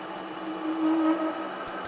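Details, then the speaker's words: 7x10 variable-speed mini lathe turning a spigot: ringing, buzzing tone over the lathe's whir, chatter as the wide left side of the tool touched the face while not kept moving. "hear that noise that is chatter the wide portion of the tool is the left side began to touch the face usually when the tool is not being dragged across the surface and just sitting there it has a tendency to chatter"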